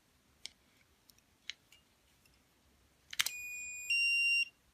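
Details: KD-7910 blue light acne therapy pen with one AA battery, being switched on: a few light clicks, then a clear high beep held about a second that steps up in pitch; normal power-on beep.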